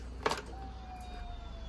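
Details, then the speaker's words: 850 ATV after bell crank, steel shifter and fuel line work, tank just filled: faint thin whine sagging slightly in pitch as in-tank fuel pump primes; pump sounds weak, suspected of causing cut-outs. "ah that fuel pump sounds weak as hell"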